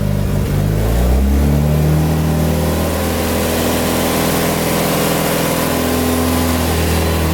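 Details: Mitsubishi Evo 8 started during an oil change, after filling the new filter and topping up slightly low oil. Catches quickly, revs up and settles into even, steady idle with no knocks or misses; normal start and rev.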